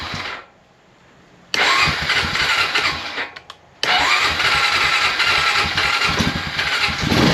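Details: 2001 Honda Rancher 350 ATV with a brand-new unadjusted carburetor: catches and runs briefly, dies, restarts and dies again, won't hold idle; owner adjusts idle screw. An intake valve was later found stuck open.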